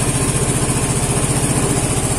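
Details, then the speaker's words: Vespa Matic scooter that suddenly wouldn't start, battery now 12.6-12.7 V: after the fix it starts and ticks over at a quick, even pulse with steady pitch, charging 14.6 V while running; healthy idle. "Coba kita Nyalakan Soekarno ya alhamdulillah ahirnya nyala motornya"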